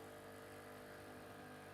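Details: Krups Nescafe Dolce Gusto after replacing the leaking diffuser/needle plate seal, brewing a milk capsule: a steady, even pump hum with no sputter or hiss of escaping water. It brews normally and nothing drips.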